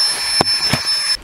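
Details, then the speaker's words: Flextail Tiny Pump 2X backpacking air pump inflating a mattress: steady high-pitched electric whine with a couple of light knocks, then clean cutoff; somewhat loud but normal operation, about a minute to inflate. "here's what the pump sounds like yes it's a little bit loud but I've heard a lot louder"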